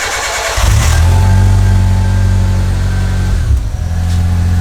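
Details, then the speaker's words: Turbocharged Mitsubishi 4G15 Lancer, after a fuel-system upgrade for more fuel, about 15 litres in the tank, first start: brief crank, then catches cleanly into a steady, even idle with no stumble; fuel pressure reported good; healthy start. "sounds like it's working I mean it would probably have turned off by now right"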